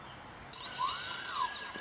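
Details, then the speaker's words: Squirrel 360 quadcopter, Sunnysky 2212 980kv brushless motor on F-30A SimonK ESC, battery connected, driven from Naze32 configurator slider: quick high-pitched whirr rising and falling, smooth and even; motor one spins correctly in the right direction. "so if I was to slide this up would hear motor number one spin perfect and I see that it's spinning in the right direction"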